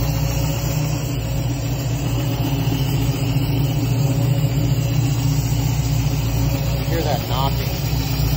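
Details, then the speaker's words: 1966 Mustang Fastback GT with a brand-new Ford Racing BOSS 347 crate V8 (415 hp), idling warm at about 140 degrees with about 40 psi oil pressure: a steady heavy knock about four times a second; a shop pulled the valve covers and suspects an internal fault. "Anyway, you can hear that knocking. Take care of it. Everything's in great shape. Leaks nothing. 38. Runs beautiful. Except for that knocking."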